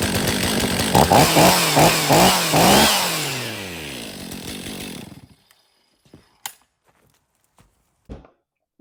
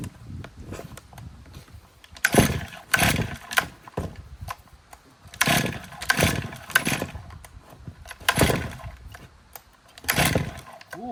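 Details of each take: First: 2023 Stihl MS500i 79cc fuel-injected chainsaw, after a new NGK CMR6H plug: crisp revs rise and fall about twice a second with clean pickup and no bogging, then it shuts off. The flooding has cleared and it runs healthy. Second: 2023 Stihl MS500i 79cc fuel-injected chainsaw, purge bulb pressed eight times: repeated pulls catch and die and the engine kicks back without running. It is loading up with fuel bubbling out of the decompression valve.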